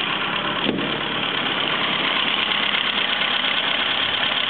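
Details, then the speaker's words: 1934 Morris 10 convertible, idle speed raised: brisk, even idle with steady chuffing and no stumbles, sounding more like it should; normal idle. "that sounds a bit more like it"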